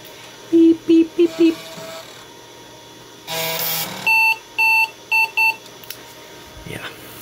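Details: Compaq Deskpro 286e at boot: four quick low beeps, a pause, then a run of higher beeps. This is a POST error because the stored fixed disk settings were lost.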